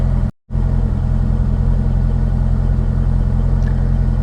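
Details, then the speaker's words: C5 Corvette V8 at idle with an intermittent low-oil-pressure warning; the gauge reads zero, then pegs at 80 psi. It idles smooth and steady with no ticking or knocking, so the oil pump seems fine and the oil pressure switch is suspected. "if you can hear the engine in the background like i said it's not making any nasty noises which is good because those nasty noises would mean that the oil pump is bad and the engine is by now junk"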